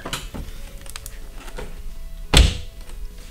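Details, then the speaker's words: Tesla Model 3 tailgate closing after deadening with Kilmat 50 and fireproof fabric: one dull, solid thud with no tinny ring, like a German car, instead of a tin can. License plate holder was the rattling part. "if you listen when you close it sounds almost like a German car this sound is way better"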